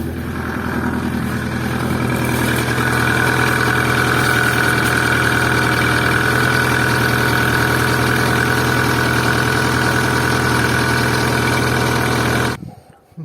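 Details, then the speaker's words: Opel C20XE in a Moskvich after hydraulic lifter cleaning, frosty morning cold start: lifters tap a couple of seconds then settle to a steady even idle with quiet valvetrain; cleaning worked; normal cold idle. "все видели метрики постучали как обычно на холодную там пару секунд и все затихло больше принципе ступни появлялся так что можно сказать что эксперимент прошел удачно"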